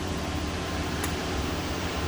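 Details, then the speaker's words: New 48V home solar inverter at its initial turn-on, after the big switch is thrown and the Mate powers up: a steady, even airy hiss with a soft low hum and no ticks or rubbing. The cooling fan is running normally. "Looks like it found the mate. Mate's powered up. I hear the fan on."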